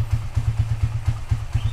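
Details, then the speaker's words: Minerva R150 VX 2010 single, very cold engine, idling after PE 28 carburetor float adjustment that fixed hard starting from insufficient fuel: steady, even thump about four times a second, no stumbling; normal idle. "Kalau settingan go sebelumnya itu susah banget nyalainnya Karena bensin atau kurang kena sip Tengah Karena sekarang udah nyampenya tuh jadi udah nyala"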